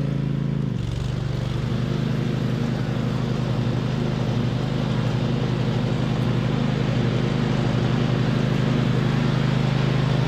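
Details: 2007 MTD/White Outdoors 54-inch zero-turn mower, twin-cylinder, after repairs with charging fixed: steady, even low throb while cutting, no misses or knocks, holds speed smoothly; normal running under load.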